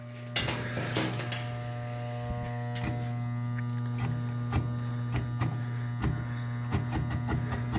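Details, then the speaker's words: Garage furnace (Ohio-style unit) makes a loud, steady electrical hum while the blower fan won't kick on; the blower motor is tight/seized and stalling. "guys we got a guy got a garage furnace and he says all it does is make a loud humming noise and the fan won't kick on"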